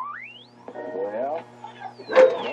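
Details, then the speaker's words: Restored Philco 077 RF generator on high output, modulation off, tuned near a period transistor radio receiving AM 820: sweeping heterodyne whistle as the frequencies approach, going silent at exact match. "wipe out the radio station so the ideas and the frequencies get close they start mixing to each other and you hear that whistling sound"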